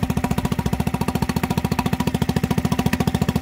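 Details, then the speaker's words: Mercury 3.5 hp four-stroke outboard after a carburetor rebuild, with choke and fuel on: thumping along evenly at about three and a half beats a second with no misses. It is running healthy. "How does that sound? Woohoo! Look at that, didn't even miss"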